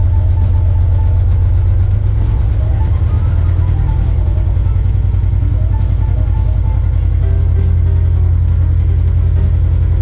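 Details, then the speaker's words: Narrowboat Badger on test runs, engine heard from under a bridge: steady low diesel thump at constant speed, even and unhurried, no knocks or misses. The boat is behaving extremely well. "Now on the test runs, the boat's been behaving extremely well, and I do like to listen to the purr of the engine under the bridge."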